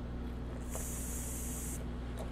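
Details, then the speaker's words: Woodworking vacuum bag setup with a fitting deliberately loosened: quiet low pump hum, then a sharp steady hiss as fresh air rushes into the bag, demonstrating a vacuum leak. "uh if you have a puncture you're always going to hear that little hissing sound when the fresh air comes inside the bag"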